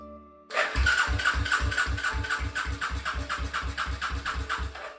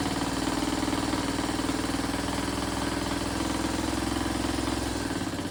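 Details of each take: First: 1995 Suzuki LS650 Savage chopper, first start attempt: starter turns the single over at an even four-per-second chug, never firing; spark is bright and blue, owner suspects fuel not flowing (old cracked vacuum petcock hose). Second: 1995 Suzuki LS650 Savage chopper with a custom straight pipe, first start after battery charge: loud, rapid popping single-cylinder idle, steady and even; normal idle, possibly lean or rich.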